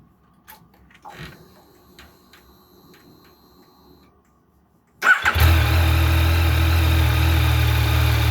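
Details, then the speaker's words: Motorbike started after refitting its manual cam chain tensioner: the engine catches and settles into a smooth, even idle with no whine or chain rattle, so the cam chain is not too tight; sounds healthy. "Sounds pretty good. We're pretty close, right?"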